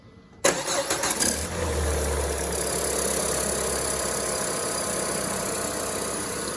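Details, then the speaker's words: Peugeot 407 first start after replacing timing belt, tensioner and water pump and refilling coolant: starter whirs briefly, engine catches at once into an even, quiet idle with no ticking or rattle. Healthy start. "Terus ya cek-cek aja suara, memastikan. Yang suaranya halus ya."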